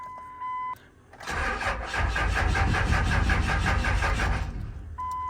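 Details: Wrecked 1999 RAM 2500 Cummins diesel, 114,000 miles, first start attempt after repairs: steady fast starter churn about four beats a second for five seconds without firing; cranks but won't start, fuel pump not heard, fuel supply unchecked.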